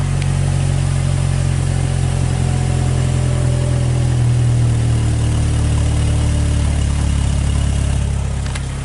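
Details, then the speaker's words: 2014 Hyundai Tucson after basic service (spark plugs changed, injectors cleaned), hesitating on acceleration: deep exhaust drone at the tailpipe with an uneven, stumbling, breaking-up pulse on throttle; misfire from faulty spark plugs. "so it definitely sound like it's like it's breaking up you're not getting a free flow you dig"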